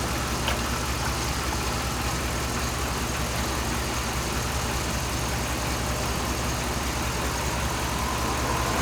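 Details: 2007 Dodge Ram 5.7 HEMI V8 warming up at idle after a leaking water pump was replaced; coolant is being bled with the heater on, and no leaks are seen. Steady, even low rumble with no knocks or squeals. Normal idle.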